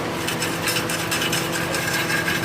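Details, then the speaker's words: 2005 Toyota Tacoma with a rattle and low-power complaint: loose gravelly rattling and scraping as the removed catalytic converter is shaken, its inner substrate broken apart; replaced with a new Walker converter. "She's a Rattling, so she's all apart. So we'll get the new one and we'll install that next."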